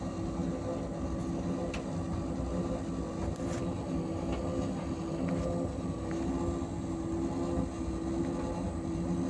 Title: Asko dryer loud noises while drying